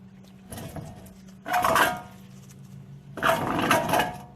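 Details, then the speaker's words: 2008 Chevy Suburban 2WD, 5.3L V8, front hub spun by hand with the caliber and caliper holder removed: rough metallic grinding and wobble from a loose, badly worn wheel bearing, which also gives a bad ABS signal. "listen just listen to the noise it makes and uh my glove is caught in there and uh you can actually hear the wobbling and if you're looking near you can see it moving very bad wheel bearing"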